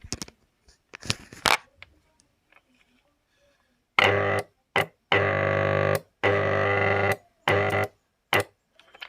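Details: Motor used on Farrata and Madhani pumps, tested through a series bulb with mic held close: loud steady buzzing hum in short bursts with no spin-up; motor stalls and draws high amps, shorted windings.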